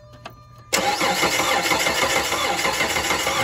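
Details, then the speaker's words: Dodge Charger that broke down on highway, battery charged, spark present, P0303 cylinder 3 misfire code; even rapid cranking about three seconds without catching, no pump hum; crank no start diagnosed as bad fuel pump. "but this one has a bad fuel pump i'm gonna recommend a fuel pump for this vehicle"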